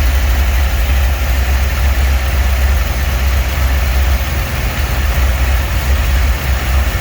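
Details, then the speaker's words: 1949 Chevy 3100 truck with newly installed V8 motor, first run in garage: low throaty idle, steady lope about four pulses a second, no knocks or ticks; sounds good. "This bitch is running. She sounds good. Woo-wee."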